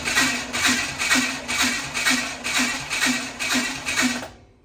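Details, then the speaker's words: Roofus engine cranking before removal and teardown; lopsided, galloping starter rhythm at about two beats a second; suspected loss of compression on one or more cylinders, compression not yet checked. "yeah it sounds like a like a horsey let me turn it over it's not good generally I haven't run a compression check or anything like that on it but generally that would mean that we have lost compression on one or more than one cylinder"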